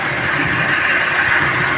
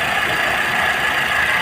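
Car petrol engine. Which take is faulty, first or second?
first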